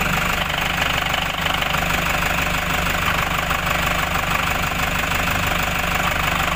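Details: Toyota Hiace 3.0 1KD diesel at idle with newly installed clutch components (a few days old): a regular knock about three times a second over the clatter. It stops when the clutch pedal is pressed.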